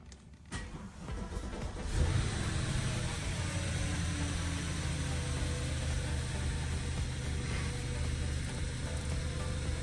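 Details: 2012 Audi A8 after failed coolant pipe replaced, coolant refilled and bled: starter catches quickly, then steady, even low idle with no ticks or rattles; healthy start.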